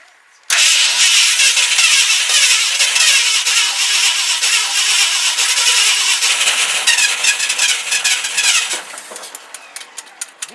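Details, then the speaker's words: 1971 Ford F-100 V8, first start in 15 years with ignition switch hooked up: catches suddenly and runs loud and rough, easing off after several seconds. Engine starts and runs. "run run first time in 15 years this is why I love Ford's"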